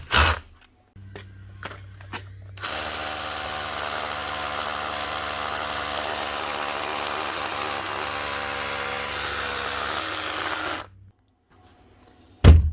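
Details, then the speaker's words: Makita 18V cordless SDS drill after repairs including cap, washer and springs: smooth, steady motor whir about eight seconds with even hammering rattle, no grinding or slipping; up and running normally. "there we go up and running again nice lucky that's three common faults with these here Makita cordless 18vt SDS rols"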